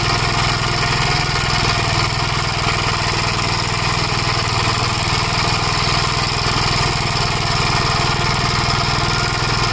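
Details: 1956 Gravely Model L single-cylinder, governor removed, after full-throttle running: fast uneven thumping with irregular pops, misfiring, smoking; owner suspects oil-fouled plug, possibly broken ring; carburetor and points fine; unconfirmed.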